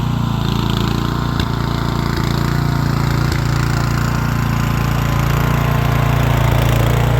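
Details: Rear-engine Snapper mower, Briggs & Stratton single-cylinder with new carburetor, stored over 10 years: steady, even low chug for the whole stretch with no stumbling or surging; running fine.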